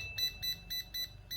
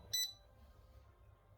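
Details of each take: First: Laser level after cleaning and key repair, reassembled: five short clean high beeps about a quarter second apart, one per key press, no error chirping; continuous beeping fault cleared, keypad working normally. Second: Yamasu laser level at power-on, sitting level: clusters of sharp high beeps, about a dozen in three seconds. Suspected moisture or the conductive rubber ring touching; continuous error beeping, cause not confirmed.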